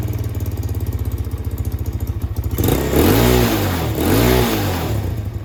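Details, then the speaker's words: Carbureted motorcycle first started after sitting unused for months: steady even idle, two quick throttle blips rise and fall cleanly, then drops straight back to a settled idle; normal rev and return to idle, idle may still need adjusting, oil change due. "Wow, it goes right back to idle. Nice."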